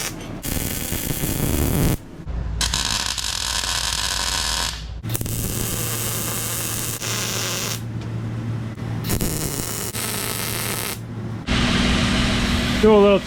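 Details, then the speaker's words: Test run of a Jer Schmidt-design belt grinder, freshly welded and running on a used motor, not yet ready to grind: steady motor hum, belt running smoothly without slap or flutter, tracking properly, normal running. "a little test run. It's not ready to grind really, but it's running. Got the belt tracking properly."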